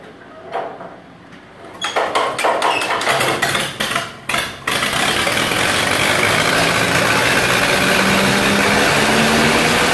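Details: 1948 Lincoln SA-200 welder engine, unfueled for years, running off a rigged-up fuel supply with the carburetor back on and needing hard cranking: a few uneven cranking bursts, then it catches and settles into a steady, even run with no misses or knocks. Normal start.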